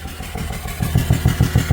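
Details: BMW 330d, M57 diesel, oil in the intake, turbo confirmed gone, down on cylinders with blow-by and running away: clatter builds into heavy regular knocks about seven per second, getting louder, before the engine dies; blown turbo, melted pistons.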